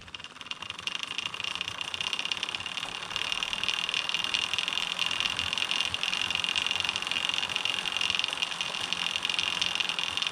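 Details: DIY carbon-fiber recumbent bike with the HDPE chain keeper fitted on the idler: a steady, high-pitched buzzing whir from the chain, louder than it should be. Removing the keeper greatly reduced the noise.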